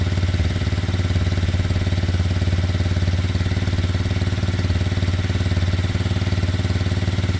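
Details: Kymco Zing 125 single-cylinder bike at pre-MOT inspection, after its running issues were sorted, before a test ride: steady, even, deep idle at about 220 pulses a minute with no knocks; healthy, just slightly high.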